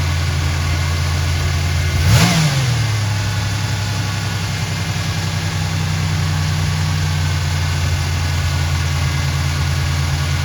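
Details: GM 3800 Series I V6 (1986-92 Buick/Oldsmobile/Pontiac) just after replacing a leaking oil pressure switch, leak check: steady idle with one quick rev rising and settling cleanly, belts good, no squeal or knock, no leak; runs healthy.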